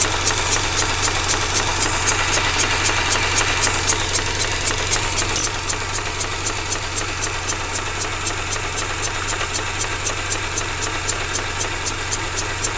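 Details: 2004 Mazda RX-8 rotary, 110,000 km, rough idle and power loss: steady sucking pulse about four a second, 240/min matching the SSV ticking, from behind the upper intake manifold; cause not confirmed.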